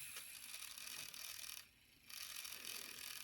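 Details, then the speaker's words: Bowser K11 4-6-2 model locomotive motor during a tune-up: thin, high-pitched chattering whine from dry motor bearings that need oil. "probably hear the uh bearing noise from it there all right so now i'll just uh run that oh yeah that definitely needs some oil on that motor"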